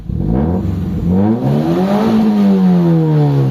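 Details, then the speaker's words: Toyota GLi with 4A-FE engine after repair of low power, stalling and hard starting (a hose bypassed): one-click start, engine revs crisply to 7,000 rpm versus a previous 4,000–5,000 rpm limit, no stumble or misfire; healthy free revving. "Yan nagse-7,000 RPM na. So dati hanggang dito lang ah halos 4,5,000 RPM lang sumasagad na yan."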